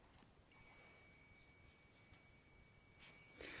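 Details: Multimeter set to buzz (continuity) mode while testing an infrared cooker/heater board, probes touched together: one steady high-pitched beep held over three seconds, tester working correctly.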